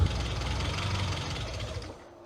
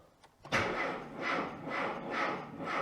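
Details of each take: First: Classic Mini MPI idling after cylinder head rework and cooling system refill, running on roughly seven-year-old fuel: lumpy, uneven stumbling idle that sags and fades; owner suspects the old fuel, unconfirmed. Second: Classic Mini MPI after cylinder-head repair for a leak, cranked with fuel pump fuse removed: starter turns the engine over in even pulses about twice a second, no catching or clatter; normal cranking without fuel.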